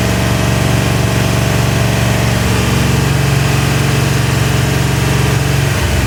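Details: Ford 351W, first start after rebuild, break-in run, 10:1 compression, Edelbrock heads, mild Howards cam, Autolite 4300 carb: deep, even V8 rumble at fast steady idle with slight cam lope, firing clean. Normal running.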